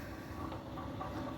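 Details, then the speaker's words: Centurion D5 Evo Smart sliding gate motor after a fresh installation, in its end-stop setup run with the gate reversing. A steady, even motor hum with a faint gear whirr and no knocks, grinding or vibration. Normal, healthy gate motor. "I'm just going to hold still like this so that you can see the gate motor is not vibrating, or I'll just listen to it."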